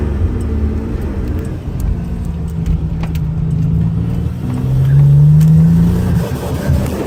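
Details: Pontiac Grand Prix with L36 engine accelerating, with and without a blow-off valve: revs rise under load with uneven stumbling beats breaking the drone; misfire under acceleration.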